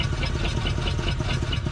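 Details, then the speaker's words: 1947 Ford Coupe flathead V8, first run in about 15 years after barn storage, throttle held wide open: uneven lumpy running with a stumbling beat and missing pulse; owner hoped it was fouling, later found stuck valves. "Either it's going to pick up those other cylinders or it ain't. I thought surely by now they would come up."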